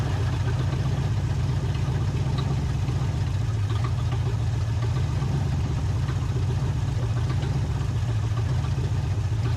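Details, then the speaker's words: 1980 Camaro V8 with used carb, back on road after over 10 years: lumpy uneven idle with faint clatter, hint of knock; owner suspects ignition timing slightly out. "Might hear a little bit of a knock wanting to happen. It ain't exactly running the bestest."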